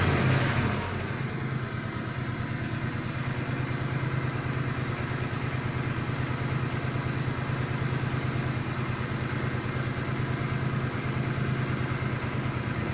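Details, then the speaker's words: Countax tractor single-cylinder petrol engine revived after sitting: smooth, even low idle with no knocks or rattles; runs healthy, smoke expected from oil applied around bolts. "Well, how about that? That sounds really nice."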